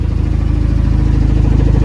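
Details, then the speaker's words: 2006–2011 Honda Civic R18 with a built shortblock, first run after the rebuild, somewhat warmed up. Low, even exhaust pulse at steady idle with no knocks or misses; the engine runs healthy. "Okay, on the backside, this thing is alive, people. Finally, it's been a long time."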